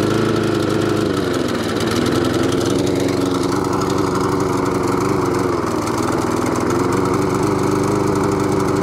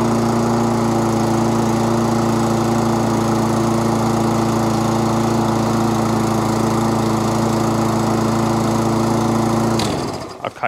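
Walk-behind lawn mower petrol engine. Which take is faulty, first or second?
first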